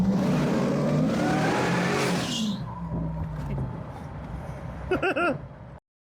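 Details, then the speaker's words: Junkyard LS V8 in an Astro camper van, newly supercharged with intercooler, freshly fueled: deep rumble with a two-second rising rev, then eases to a smooth, even run; sounds healthy. "I'm telling you right now, everybody needs a supercharged camper van. I mean, just listen to this."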